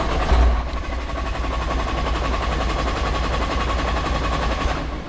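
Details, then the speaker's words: Nissan R35 GTR during AEM high-flow fuel pump swap, cranked to bleed fuel pressure from lines: steady, even starter cranking, engine spinning but never catching; crank no start from no fuel pressure. "Once you get all the pressure out of the lines, it should sound like this. Where it just cranks, but nothing happens."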